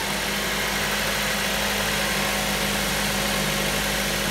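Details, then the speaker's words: 2008 Mazda 5 after valve cover replacement, bolts torqued and spark plugs reinstalled. Steady, even idle with no shake or miss, running better than before, when it had a slight vibration. Normal idle. "running better now before I had a slight vibration to it"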